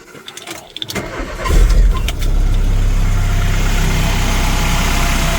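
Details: VW MK3 Golf GTI 2.0L 8-valve start after water pump and thermostat replacement, coolant being bled with no leaks underneath; starter catches within about a second and settles into a steady, even low idle with no misses or knocks, healthy.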